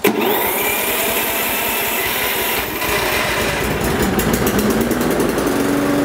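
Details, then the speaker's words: Toro Personal Pace self-propelled gas mower after removing a small piece of wood fouling the drive belt: engine revs to a steady buzz with no squeal; drive sounds normal after fix. "so I'm going to start it up and listen for squealing but I don't think there will be any because that small piece of wood is gone"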